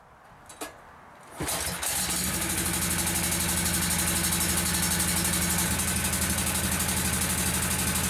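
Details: Kawasaki lawnmower engine with a single carburetor feeding both sides cranks, catches and runs fast and slightly uneven, shifting partway; intermittent misfire diagnosed as a leaking intake manifold gasket, before replacement.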